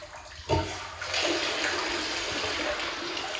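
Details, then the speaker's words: Float valve filling water storage and fire protection tanks as two tanks equalize toward 8,000 gallons, with solar pump backup; steady rushing and splashing with no chatter or hammering, the valve seals once the level rises: normal float valve filling. "I just wanted to show you guys float valving action again this thing seals once the water level comes up high enough"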